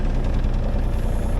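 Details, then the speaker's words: 2014 mini excavator for sale at auction, 2,600 hours on the meter, starts and idles: deep, steady diesel rumble with an even beat and no knocks or misses; normal idle, sounds healthy. "See if it runs. Fires up, sounds good."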